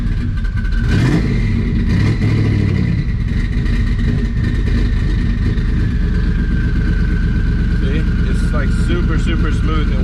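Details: Twin-turbo Mustang Cobra (owner suspects burnt IAC driver in FAST computer): steady, even engine note with no hunting, misses or surging; smooth idle.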